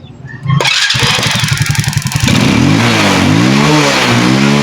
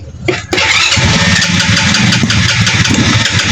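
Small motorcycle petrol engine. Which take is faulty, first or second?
second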